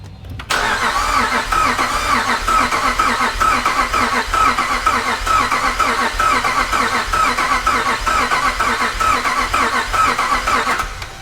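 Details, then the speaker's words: 5.7 Hemi V8 Jeep Grand Cherokee with newly installed El Chapo cam, pre-first-start compression test: starter cranks at an even, steady rhythm with no faltering; first cylinder reads about 150 psi (150–190 expected), healthy compression. "Right at about 150. >> Okay. So, that one's good."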